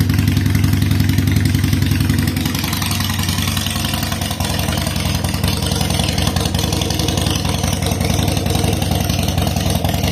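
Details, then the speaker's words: 2007 Harley-Davidson Sportster 883 Low air-cooled V-twin after reassembling the fuel pump into the tank: starts right up and holds an even, loping, steady idle with no misses at about 60 psi fuel pressure (spec 55–62). Owner is unsure it's fully fixed, and pressure drops quickly. "Seems to run pretty steady at that. Starts right up, and it seems to be running pretty good too."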